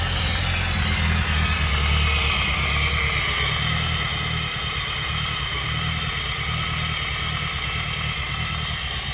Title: Peugeot 106 - bruit moteur (suite)